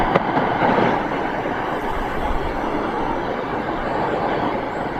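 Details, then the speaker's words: 2014 W639 Mercedes Vito taxi with an empty A/C system charged with leak trace gas, scanned with an Accutrak ultrasonic leak detector: a loud, crackling hiss surges toward the rear; refrigerant leak near the rear evaporator, not at the front pipes. "so none of these pipes here i've got a leak on them the leak is further i can hear it as i go further down towards the back of the vehicle that is going berserk so there's something leaking at the back on the back evaporator area"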